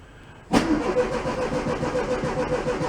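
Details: 1968 VW Beetle barn find, sat five years, battery changed, a third of a tank of fuel: starter bites and spins the engine briskly with an even chugging beat, strong healthy cranking, though it never fires.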